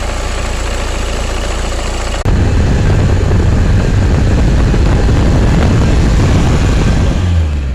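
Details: Nissan Micra at idle: steady low idle throb, then about two seconds in it turns louder and rougher as the AC is switched on; abnormal engine noise under AC load, cause unknown.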